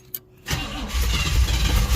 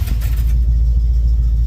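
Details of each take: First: 1971 Chevrolet Monte Carlo, one-owner barn find that had not run in about 30 years, before new plugs and wires: starter catches, engine fires and settles into a deep, wavering, uneven idle; rough idle, owner suspects weak spark and carburetor needing adjustment. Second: 1971 Chevrolet Monte Carlo V8, barn find revived after about 30 years, with varnished tank and suspected partly plugged fuel sock: deep, steady low rumble through the mufflers with an even beat and no knocks or misses; normal idle, nearly ready to drive.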